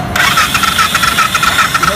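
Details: Royal Enfield Bullet that won't start after being washed: rhythmic starter cranking with regular compression pulses, about seven a second, no firing; engine turns over but won't catch.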